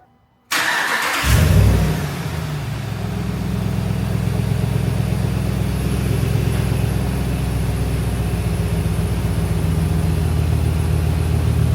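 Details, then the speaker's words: Truck after replacing a faulty idler pulley that had made a turbo-like whine: short crank, then a steady, even idle with deep exhaust and no whine left. "And now I don't hear any more whining. It's just straight menacing engine and exhaust."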